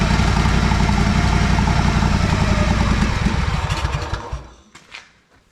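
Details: Honda 4118 riding mower with a GXV610 V-twin, new coils and a new starter, running with the fuel shut off: it chugs unevenly, then stumbles, sputters and dies. Timing is not yet checked; cause unknown.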